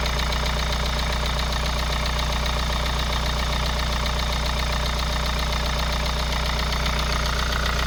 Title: KIA Sorento prime 2.0 Стук на холодную.